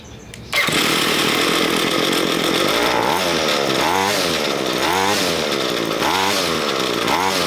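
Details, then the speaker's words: Ryobi ES30 two-stroke string trimmer after carburetor cleaning, main fuel screw enriched another half turn from two turns out: high buzzy note wavers slightly but holds speed without bogging or cutting out; running about right. "it's running about right"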